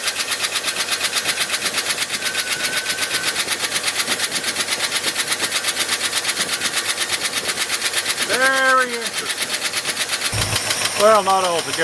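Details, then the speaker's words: 1971 Ford F-250 V8 shop truck, noise toward front of engine unchanged with the alternator and water pump belt removed: steady quick ticking about three per second over an even idle; almost certainly a stuck valve lifter, later ticking briefly then smoothing out, timing chain also considered. "the knock that we heard or I heard uh was almost certainly a valve lifter stuck because when I came back on the second round and fired it up it wasn't on video but it ticked for just a second and then smoothed out"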